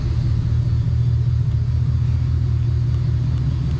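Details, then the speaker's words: V8 truck after diagnosing an ignition misfire traced to a bad coil: deep, even idle rumble with no stumble or skipped beats, much smoother than before; normal idle after the fix. "That's wonderful. Purr's like a kitten."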